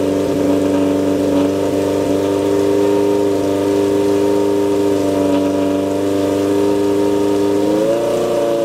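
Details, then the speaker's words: 1978 Kawasaki KZ650 C four-cylinder, first start after at least 5 years unrun, on a temporary fuel supply with vacuum pipe blocked: steady, even warm-up idle with loud droning exhaust and small rev rise near the end; runs smoothly, noisy exhaust. "i'll drop this off while i get some warmth in the engine well that's a bit of a result"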